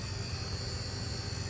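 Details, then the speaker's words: Whirlpool top-freezer refrigerator (W8RXNGMWS01) rescued from scrap, after defrost test with drain heater working: steady low compressor hum with even fan whoosh, no clicking or rattling; compressor back on, running normally. "All right, so now that we know she's defrosting, you can hear the compressor come back on"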